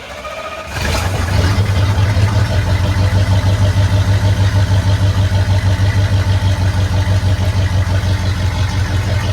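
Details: 1972 Chevrolet C10 small-block V8, warm, with rebuilt carburetor, timing set by ear: steady, even low rumble at idle with a smooth regular beat, no misses or knocks; running cleanly, normal idle.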